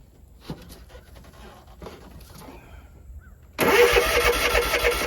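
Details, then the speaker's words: Zero-turn mower that only clicked when starting, after solenoid replacement: starter spins and engine fires straight away into a steady run, no click; normal start. "Now for the test and no click got starter."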